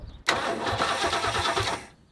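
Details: Abandoned 1967 Lincoln Continental, old gross fuel, fuel poured in to test pump, carburetor suspected: brief steady whirring starter turnover under two seconds with no firing; crank no start.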